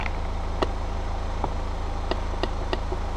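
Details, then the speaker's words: Peugeot 208 after a dashboard and seat belt swap: irregular sharp ticks, a few per second, over a low steady hum; a relay chattering, clicking in and out instead of holding, left to check later. The horn doesn't work. "can hear it chattering in the relay so oh well I'll look at some point"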